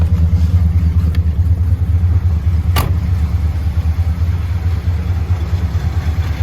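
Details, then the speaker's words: 1964 Chrysler New Yorker, parked over two years, starting: deep, steady V8 burble at idle with an even rhythm and no knocks or misses. Normal idle; a slight exhaust leak is suspected later. "could it be as simple as spark plugs let's find out here she goes there she is so it runs"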